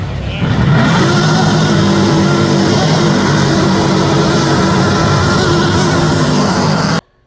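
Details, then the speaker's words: Blown V8 drag car at launch: loud blower whine with a pulsing womp-womp rhythm, not wanting to rev under throttle. Engine bogging; cause suspected, not confirmed. "when I instantly hit the throttle, it was just blower and everything. You could hear it from the whine. It was just womp, womp, womp, womp, womp. Wasn't wanting to rev"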